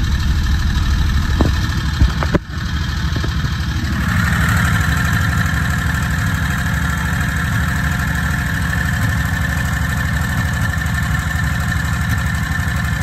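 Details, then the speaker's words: Predator 670 22HP V-twin golf cart engine, warm, idle being turned down at the carburetor from about 1800 rpm toward 1200–1300. A steady, even low thrum, a little fast. It needs a touch more adjustment. "all right so so far down to about 200 rpm roughly we want to try and get down to like 12 to 1300 would be ideal"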